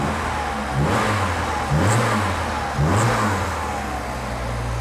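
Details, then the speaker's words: Suzuki Samurai 1.6 16V after replacing old injectors suspected of flooding a cylinder: three quick throttle blips rise cleanly and return to steady idle with no ticking or stumble; healthy and responsive. "nice and responsive i think i got her i think that's what the problem was"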